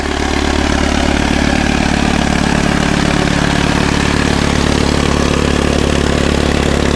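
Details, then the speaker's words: 1951 Caterpillar D2 diesel (serial 5U7968) at first start: steady, even chug about four beats a second, no misses, knocks or smoke, oil pressure present; fuel pressure still low, transfer pump suspected (possible broken check spring). Normal running. "Listen to that. That sounds pretty good. No smoke. We've got oil pressure yet."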